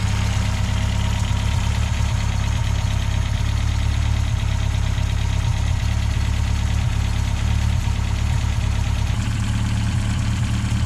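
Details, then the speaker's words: 1969 Reliant Regal 850cc engine on bench test with the SU carb suspected of a blocked jet. Plugs were dry; it fired straight away once a Weber carb was fitted. Steady, even, smooth idle with no misses or knocks. "the plugs were burned dry as soon as we put the weather on as soon as the fuel got through fired up straight away"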